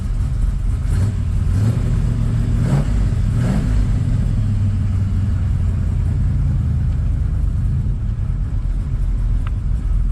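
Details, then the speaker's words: 1979 Camaro Z28 V8 driving, in-cabin, after the Pete Jackson gear drive was replaced with an Edelbrock Performer double-roller timing chain, new balancer and water pump; owner suspects one rocker may be slightly loose. Deep steady rumble with throttle swells, no gear whine. Normal running. "that is so quiet inside the car"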